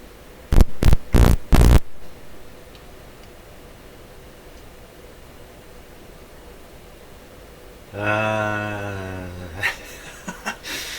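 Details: Valve signal generator MS15c under repair, after a voltage regulator tube swap: a few sharp clicks, then a low buzzing hum rising from the speaker for about two seconds as the voltmeter lead touches the circuit; stray mains hum suspected, not confirmed.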